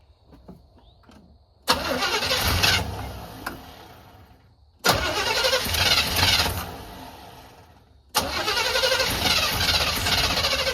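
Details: 1985 Chevy C20 that sat over 10 years, cranked again after resting, choke tried: three cranking bursts of about three seconds each with the starter spinning briskly, never firing; it smells of gas. It cranks but won't start; the fuel pump is known to work and an external fuel tank is planned next.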